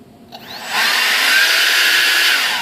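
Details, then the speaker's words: Durafly DH 100 Vampire Mk 6 EDF fan being balanced with trial weights: the fan spools up to a loud steady high whine with a rough buzzy edge, transmitting more resonance into the airframe, indicating fan imbalance vibration. "that feels pretty good guys seems to be transmitting a little bit more resonance into the frame of the airplane though"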